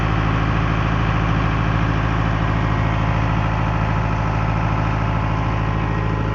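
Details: Late-1980s Caterpillar 943 track loader diesel idling while warming up; deep, smooth, constant rumble, even and unchanging, nothing abnormal heard; normal healthy idle.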